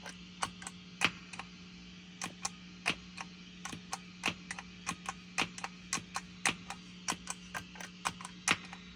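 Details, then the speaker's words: Mooer GEC8 Jr switcher with only the output cable to the amp, nothing on input, powered from DC8 brick; pressing preset buttons (B especially noisy, C/D quieter) gives sharp irregular clicks and pops over a steady low hum, switching pops. "hear this spe button seems to be and C D seems a little quiet going to D but B is really noising"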